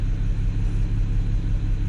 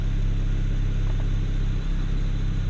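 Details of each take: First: BMW E92 335i, N54 engine: rough, lumpy idle with a pulse felt on top of the engine. Misfire persisted after the coil was moved to another cylinder; code logged for cylinder six; new Bosch coil fitted. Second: BMW E92 335i N54 after an ignition misfire repair, codes cleared, revved: steady, deep engine note with no pops or stumbles, clean firing.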